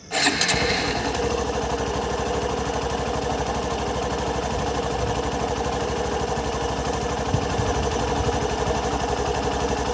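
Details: Hero Passion Pro 125cc motorcycle with i3s idle start-stop switched off: quick, even single-cylinder putter near four beats a second holds steady without the engine cutting out; normal idle.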